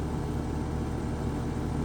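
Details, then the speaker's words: Home AC condenser (upstairs/downstairs units), thermostat powered: steady low hum with no spin-up, compressor tries to start but doesn't; faulted run capacitor diagnosed. Bad run capacitor. "Sit here and listen to it. Did you hear that? So it was trying to start, but didn't."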